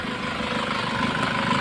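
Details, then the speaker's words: Nissan Patrol ZD30 diesel, low compression, running about an hour at normal temperature on second gallon of diesel: steady even clatter, no knocks or misses; some blue smoke and noisy timing chain noted. "normal yung andar pangalawang Galon ang diesel"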